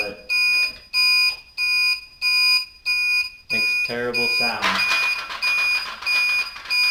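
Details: Newly replaced blinker flasher relay on a bobber motorcycle, tested before reassembly: shrill beep pulsing evenly about once a second in step with the indicators; the relay works but chirps loudly, later muffled somewhat with electrical tape.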